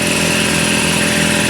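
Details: Garage air compressor on a newly wired 30 amp outlet and sub panel, first test run after installing a shop air system: steady, even motor hum at constant pitch, no knocks or rattles; starts and runs smoothly, normal.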